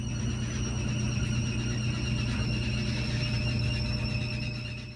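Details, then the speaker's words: Whirlpool direct-drive washer: a loud, piercing, steady screech over the drum hum during high-speed spin; owner suspects a worn clutch, and the clutch, clutch gear and rotor are then replaced. "The other day, the washer started making a really loud screeching noise during the spin cycle at really high speed. It sounds like a clutch issue."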